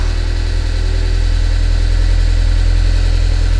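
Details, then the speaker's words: Newly bought project car with low oil pressure from purchase: a harsh, clattery, uneven idle with a dense low rumble that sounds almost like a diesel; running badly, shut off quickly. "so as you hear it it almost sounds like a diesel that's how bad it is uh god i don't want to keep it running all right so basically it has low oil pressure that's how i bought it"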